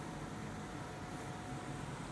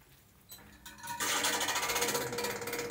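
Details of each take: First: Ceiling-cassette home air conditioner after replacing the noisy indoor fan motor (worn, melted anti-vibration rubber mounts): soft steady airflow hum on high fan and auto, no rubbing, rattle or knock, fan now sounds normal. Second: Ceiling-mounted home air conditioner fan starts into a loud, fast mechanical rattle: fan motor loosely held because its rubber anti-vibration mounts are worn, torn and melted.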